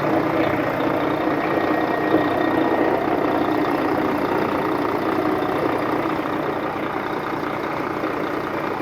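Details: 2004 Volvo truck diesel, recorded with the hood open after the truck sat 6 years in a truck graveyard: steady, even idle with a smooth low rumble, no knocks or misses; sounds healthy.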